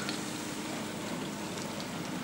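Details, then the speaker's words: Samsung DMT400 dishwasher, on a cart after replacing the leaky rear hose and the hose underneath, washing with water and soap splashing. Only a soft, even hiss of spray over a faint low hum; very quiet, normal wash cycle. "You can hear it running. This is where it brings all the water up, drains it, splashes into the dishwasher here. You can see the water splashing there and soap. You can hear it running. It's very quiet."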